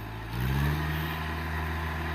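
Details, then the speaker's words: Kubota L2600 tractor, 4-cylinder 26 hp diesel, 2WD: engine picks up briefly, then settles into a steady, even drone with no knocking or misses; the engine is in good condition and runs normally. "เครื่องเครื่องดีฮะเครื่องดีก็ลองดูอ่ะ"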